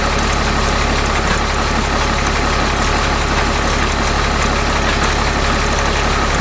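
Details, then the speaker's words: 6.7 Cummins truck with the transfer case removed and driveshaft disconnected: a heavy diesel idle with a steady low drone and an uneven rubbing churn as soon as it is put in gear. The noise comes from the transmission; the cause is unconfirmed. "so guys um we know it's not the transfer case um the transmission is still making noise as soon as you put it in the gear"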